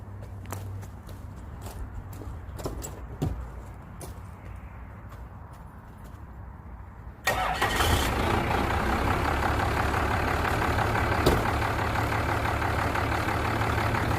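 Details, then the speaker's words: First-gen Dodge with 12-valve Cummins, new VE rotary injection pump, low compression and heavy blow-by, not cold: about seven seconds cranking at roughly four strokes a second before catching into rough idle; hard starting, block suspected. "i want you guys to kind of hear the hesitation this thing doesn't fire right up i had to jump start it to get it over here"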